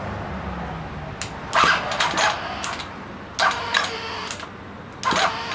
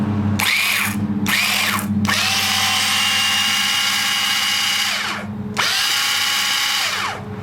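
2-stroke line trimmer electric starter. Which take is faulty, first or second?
first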